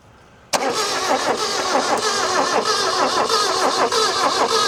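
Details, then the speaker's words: Chrysler Galant 1600 wagon, sitting about 30 years, running after revival: rough running with irregular cracks and pops as the ignition coil arcs through its makeshift rubber insulation; misfire from ignition coil arcing. "You can still hear a crack in here and there."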